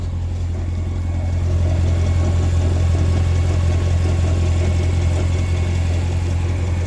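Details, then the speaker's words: Idling Grand Sport heard underneath: steady deep drone with a faint pulse near three beats a second, seeming to come from the middle of the car. Source not identified. "Listen to this. Sounds like it's coming from the middle of the car."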